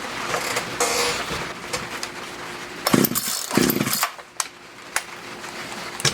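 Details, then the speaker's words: Poulan Wood Shark chainsaw with a no-start problem, after the low jet was leaned out slightly: small two-stroke surging and sputtering in uneven bursts, revs racing then dying; it's flooding again, owner suspects a sticky needle and seat. "see if it fires back up it's flooded again I'm seeing um probably a sticky needle and seat"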